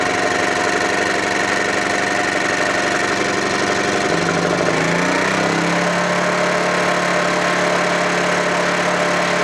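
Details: Honda generator cold start after sitting about three months: engine note shifts and drops around four seconds, then holds a steady, even hum with a regular pulse; healthy, settled normal running.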